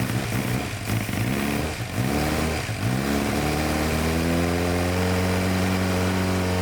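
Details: 2006-2007 Suzuki GSX-R 600 that sat outside for months, after new plugs and fresh fuel with additive, warming up: four-cylinder blips unevenly then settles to a steady idle with slight wobble; sounds much better, clogged injectors suspected.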